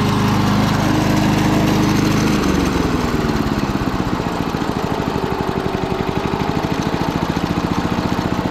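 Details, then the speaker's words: Early-1980s Snapper Series 6 six-speed self-propelled lawn mower settles from a brief louder run into an even putter of about four beats a second; purring like a kitten, runs like new: normal healthy idle. "purring like a kitten"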